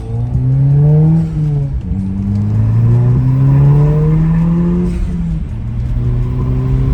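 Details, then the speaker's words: Audi 2.0T with AWE full exhaust and downpipe, after replacing a turbo that failed at 2,000 miles: pulls cleanly through the gears under boost, pitch climbing smoothly, no longer breaking up as it did on the old turbo. "It It's not breaking up anymore like it used to. It's not going every time you're in the boost. It was doing that on the old turbo."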